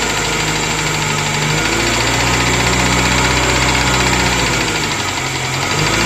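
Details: Moskvich 2140 engine at steady idle with a regular metallic tapping riding over it, about four beats a second; the engine knocks and the cause is not yet pinned down.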